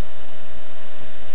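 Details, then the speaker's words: VW diesel leak-down test through a modified injector at 100 PSI: steady, even hiss of escaping air with no rhythm; about 15% loss on this cylinder, some leakage past the intake valve, mostly into the crankcase, all four cylinders about 15%. "sounds like there's a little bit of a leakage on um the air intake valve on this one"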